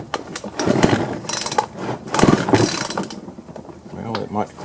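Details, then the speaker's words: Husqvarna 120 chainsaw with a slipping pull rope, after flipping the recoil spring so the longer protruding end seats further: quick ratchety clicks and dragging whirr on each pull, pawls now catching; recoil starter engaging normally. "okay it looks like it's uh it's holding up so"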